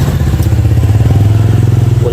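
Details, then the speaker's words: Yamaha Xeon GT 125 FI with coolant leaking from the radiator into the engine, tested after its failed one-way clutch was replaced: a fast, steady knocking over a heavy drone. Rough engine knock, suspected con rod or piston pin. "bisa didengar suaranya ya dari saya pastikan memang suara bagian mesin ya bisa bagian suara stang atau pen piston ya karena dia ada kebocoran apa radiator"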